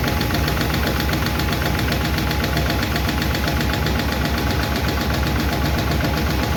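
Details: 1951 Chevy engine at idle after first fire-up and valve adjustment: fast light ticking about four per second over even idle; number 4 intake and number 2 exhaust still clatter; valve lifter tick, owner plans to tweak those two.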